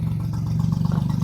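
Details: Mercury/Tohatsu 25 EFI outboard after replacing the VST and reseating a loose connector's pins, fuel pressure 40 PSI: steady even idle, smooth low pulse, no misses or knocks; running normally after no-start.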